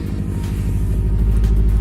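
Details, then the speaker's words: Subaru STI (high-horsepower tune) at idle after the weak ignition coils were replaced with new coils: deep, lumpy boxer rumble pulsing evenly with no skips or stumbles; the misfire is gone and all cylinders are firing. "So, final start, see if the misfire is gone. Sounds good. No misses."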